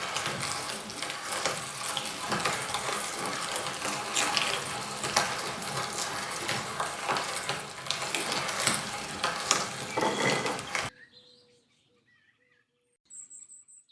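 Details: Vintage Spong E30 cast-iron hand mincer test-run on carrots after its stripped locknut thread was re-threaded to 8mm: steady crunching and rasping as the handle turns, three to four strokes a second, then a clean stop; working normally.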